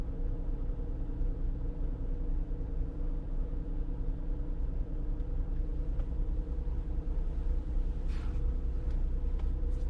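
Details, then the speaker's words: 2021 Jeep Grand Cherokee with code P105C (variable valve lifters stuck in low position), during scan-tool VVL service test with idle raised to about 1200 RPM: light quick ticking over the engine hum, lifter tapping from the valvetrain. "yeah you can definitely uh here kind of a lifter tapping"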